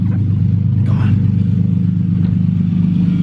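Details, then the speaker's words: Nissan 350Z, first start after new engine installed, straight-pipe exhaust not yet fitted, loose injector plug and ground fixed: steady, even low idle with no stumbles or misfire; normal idle. "oh my goodness oh she sounds perfect she sounds perfect"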